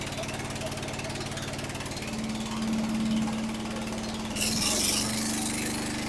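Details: Restored Jacobsen Chief 800 after fitting a part to keep the belt on: single-cylinder putters at a steady beat with constant low hum, speed rising slightly mid-run; running steadily.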